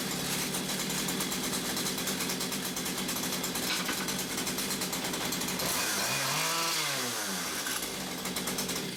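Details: Stihl two-stroke combi unit after clearing a blocked, oil-clogged exhaust that made it die when revved: high buzzy note holds steady, drops and climbs cleanly back up; revs freely, normal revving.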